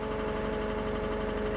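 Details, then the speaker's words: Salvage 15K-mile Chevy Camaro SS just after start: quick, regular light ticking over idle that does not fade; owner hopes it is lifters pumping up and also hears a possible vacuum leak and suspects a knock. "let's turn that off hopefully that tapping goes away come on pump up those lifters baby"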